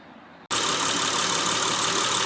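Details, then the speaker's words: 2005 Honda Pilot idling with a steady high-pitched squeal over hissy running noise from the serpentine drive belt; sustained squeal tested by spraying water on the belt's grooved side, where squeal stopping points to belt or pulley. "all right so you can hear that little bit of a squeaking sound so the way we're going to test this is we're going to spray a little bit of water onto the groove side"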